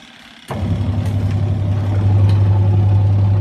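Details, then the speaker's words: Washing machine after replacing the failed gear reducer (sealed with waterproof glue), switched on: settles into a smooth, steady low hum with no knocking or grinding; now running normally. "现在声音正常了，现在好了。"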